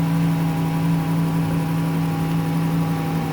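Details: 2011 Dodge Caravan 3.6L, 81k miles, after replacing the TIPM internal fuel pump relay; steady even idle with smooth low hum, no knocks, misses or rattles; normal idle.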